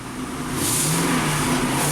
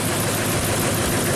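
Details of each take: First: 2008 Ford F-250 5.4L V8, 219,000 miles, swapped engine, after cleaning and WD-40 on a coil: revs up and falls back smoothly with a steady even beat and no stumbling; sounds better, cylinder five mostly firing cleanly. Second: 2008 Ford F-250 5.4L V8, 219,000 miles, engine swapped and never ran right (hard cold start, stalling, low power): rough, uneven idle as cylinder 8 misfires from its unplugged coil connector; cylinder 5 also suspected.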